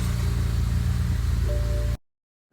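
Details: BMW 335i N54, 6-speed, first start after replacing the turbochargers and fitting a front-mount intercooler, downpipes and an MHD stage 2+ tune: a smooth, steady low idle with no wastegate rattle; the engine sounds healthy.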